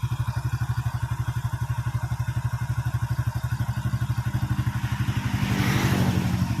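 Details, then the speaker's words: Honda Supra X100 single-cylinder motorcycle idling after cylinder block reassembly and cam chain replacement, listened at the left block: even idle, about four beats a second, no ticking or rattle; slight white smoke fading; smooth, healthy. "okay, yes, the sound is smooth"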